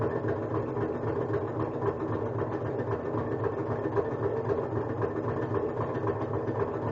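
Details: Kenmore front-load washer during spin cycle: steady mechanical drone with a loose, repeating knock or rub about twice a second; owner suspects something hitting or a belt touching, no foreign objects found, washer otherwise completes cycles fine.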